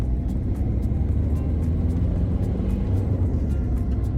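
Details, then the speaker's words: Ford Fiesta Mk6 diesel accelerating on the road after a new lower engine mount: a deep, smooth diesel rumble builds under throttle with no knocks or clunks. Power comes on smoother, the engine sits solidly, and acceleration sounds healthy. "yeah it's just the power delivery comes on a little bit smoother a little bit more you know like i expect um a torquey diesel engine to come on a little bit more"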